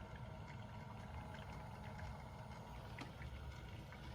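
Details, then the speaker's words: BMW with electric coolant pump running its bleed procedure, ignition on, engine off, heater on at max temperature, battery charger connected, about 10–15 minutes: faint steady pump hum under gurgling and trickling as air bubbles work out of the coolant; normal. "You can hear all the bubbles coming out and everything."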